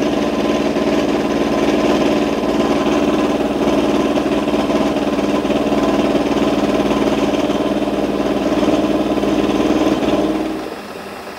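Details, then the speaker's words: Milling a V-slot in a float lock vise jaw on a lathe, using small cuts and a slow feed. A steady, droning cut with a rough, buzzing hum that eases off at the end; chatter from a non-rigid setup. "is not as rigid as I would like so there is a bit of chatter as you can hear obviously on a meal you'd be able to fix this down far more rigidly than I can on the lathe"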